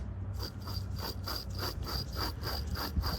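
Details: 2004 Dodge Ram front wheel hub bearing gives a gritty, rasping scrape pulsing about three times a second; it is rough and worn but was left in place.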